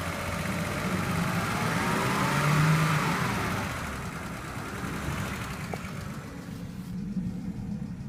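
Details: 2008 BMW 528xi, 117k miles: petrol engine revs up and settles with a loud, sharp ticking that speeds up as rpm rises; cause unknown to owner.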